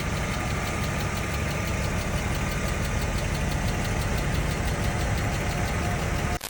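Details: BMW M50B25 at idle, hot: fast light tapping in time with the engine from hydraulic lifters, silent from cold start until full operating temperature; two or three lifters sat low; all 24 replaced with new Kolbenschmidt units.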